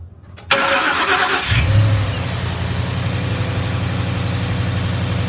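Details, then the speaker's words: Ford Mustang GT V8 after bearing replacement for a bottom-end knock: starts and settles into an even, steady idle with no knocking; engine sounds good, though a radiator water leak appeared. "The motor sounds good."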